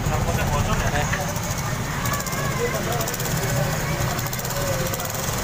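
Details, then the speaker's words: Honda Supra X 125 after engine rebuild (new conrod, crank bearings, cam chain and tensioner, top set, fresh oil): small single idles with a soft, even low patter and no knocking or rattle; calm steady tick-over. "Udah punya lagi deh udah aman ya udah hidup tinggal dipasangin cover bodinya guys ya"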